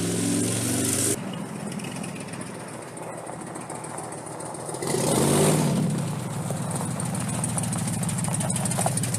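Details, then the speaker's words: V8 truck with suspected wiped-out cam and misfires on cylinders 6, 7 and 8, no rod knock: catches and revs, then uneven labouring rough idle; engine subsequently failed, needing replacement. "It ain't happy, but it's running."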